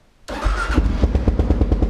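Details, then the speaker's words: Kawasaki KLR650 single after full carburetor rebuild and mods, mixture screw 2¾ turns out: fires instantly with no delay and settles into crisp, even thumps; clean, healthy start. "there you go don't you listen and watch the christmas of it there's no delay it's almost like a mechanical card now"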